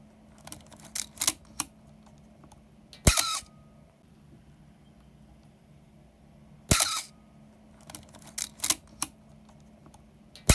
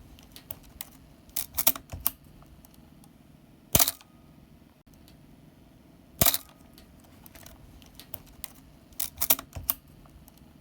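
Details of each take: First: Canon A-1 film SLR (A-series) before repair: three drawn-out, squeaky, slow mirror/shutter releases, a sign the gears next to the mirror box need lubrication, fixed by oiling through the bottom lid. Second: Canon A-1 film SLR after lubricating the mirror box gears with oil via syringe (fix for squeaky, slow mirror and asthmatic-sounding shutter): crisp, quick shutter clicks with a clean snap, no squeak or drag; mirror release speed back to normal.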